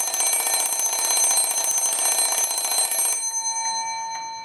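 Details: Repaired antique Sessions-movement clock with alarm: rapid, even metallic ringing about four strikes a second that stops cleanly and rings out; healthy alarm.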